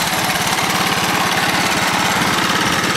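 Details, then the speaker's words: 1982 Honda ATC 200 three-wheeler with stock exhaust, running after the front-pipe exhaust leak repair: an even single-cylinder putter at idle, about three beats a second, with no puffing or ticking at the header. The exhaust is sealed and healthy. "That's just stock exhaust for a 1982 Honda ATC 200. Nope, can't really feel a leak there."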